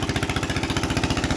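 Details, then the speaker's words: Onan 3.0 DJA single-cylinder diesel generator, no muffler, during load test, decompression solenoid bypassed: very loud crisp exhaust pops about seventeen a second, even, no misses; normal running. "you could hear that DJ running the noises are extremely offensive"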